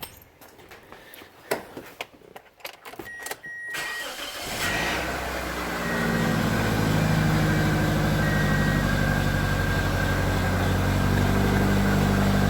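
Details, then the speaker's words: 2004 Toyota Matrix 1.8L with about 219,000 miles, just after new platinum spark plugs were fitted. A few clicks, then the engine catches and settles into an even, steady idle with no stumble or misfire; nice and smooth, a normal start. "nice and smooth that's what we want"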